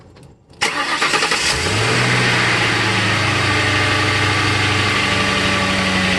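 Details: 2001 Lincoln Town Car, Ford 4.6L 2-valve, cold idle: fast metallic rattle that settles as it runs. Timing chain guides worn through, chain eating into tensioner piston; guides and tensioner replaced, plus valve stem seals.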